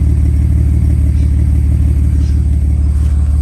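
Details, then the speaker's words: BMW N54 engine: deep idle with a loping beat about twice a second, one cylinder pulling weak, still sounding cammed; owner plans a compression test. "Well, let's see. It's still got that lumpy idle."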